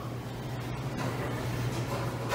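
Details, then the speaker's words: Henny Penny combi oven, running each load after a dead-short repair: steady low hum with faint water movement as the siphon/drain pump runs and water goes down the drain; normal pump operation. "sure it's running water's going down the drain we're all good there"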